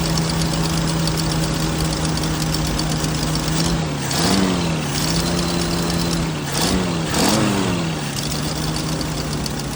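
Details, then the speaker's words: 1979 Jeep CJ5 carbureted engine just started after sitting since 2019 on old, foul-smelling tank fuel: low, uneven idle sagging and surging every few seconds; running rough, cause not confirmed. "yeah it's running pretty crappy"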